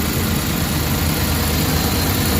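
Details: Suzuki DA64 petrol engine after a general overhaul for knocking (suspected valve, con-rod or main bearing): smooth, steady idle with an even low hum and no knocking; normal.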